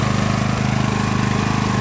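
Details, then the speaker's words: Craftsman LT1000 riding mower after Briggs & Stratton engine swap, idling to warm up after sitting over a week: small single settles into a quick, even putter with no skips or knocks; healthy. "I'm gonna let this motor warm up a little bit and get this thing out in the yard after I get the hood on and everything"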